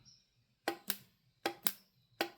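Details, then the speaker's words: Known-good vapor canister vent valve (vent solenoid) for a GMC Envoy, bench-tested with 12 volts; crisp paired clicks, pull-in then release, about every three-quarters of a second as the plunger snaps cleanly: normal vent solenoid click. "You can hear that plunger going."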